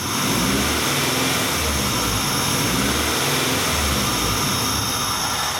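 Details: 1994 Acura Integra 1.8 L DOHC with the typical Honda idle surge when warm. Idle rises and sags in a slow pulse about once a second; a scope shows the injector cutting out and back in. Fix: adjust the cold fast idle valve.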